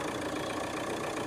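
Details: Chevrolet Cruze diesel running on a temporary added ground wire, no fault codes: short stretch of steady, even diesel clatter at idle with no misses, confirming a poor engine ground.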